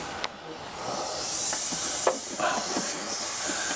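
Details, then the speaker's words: Range Rover L322 front air strut (Delphi original equipment) being removed, air line fitting loosened: loud steady hiss with clicks from the fitting; residual pressure bleeding out, shock pulling up as it empties. "and then of course because it's got quite a lot of compressed air in it, it's going to flow out. And probably shake about like an annoying thing."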